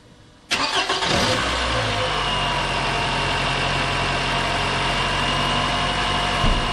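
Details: 2011 Toyota RAV4 after replacing alternator, fan belt and tensioner: brief crank, engine settles into smooth, even idle with no squeal, chirp or rattle from the belt drive; battery light out, 14.7 volts; normal idle.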